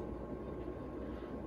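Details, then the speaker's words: 1999 Casablanca Delta II 50-inch ceiling fan on high speed: steady low motor hum with rushing air; bearing noise audible from medium up, slight rattle probably from the globe. "bit of a hum that's why I'm not a big fan of mine"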